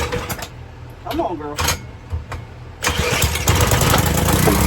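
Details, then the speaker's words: 2000–2005 Power Clean 2000 PSI pressure washer with 3.75HP Briggs & Stratton engine: pull-start cranking, then a brief ragged burst that fades out, about to try gas in the carb. A fuel delivery problem is suspected. "Ha! Yeah. Yeah, leave. I got stuff out. Now that we're getting somewhere, I want to put some gas in the carb and I want to see if it will turn over."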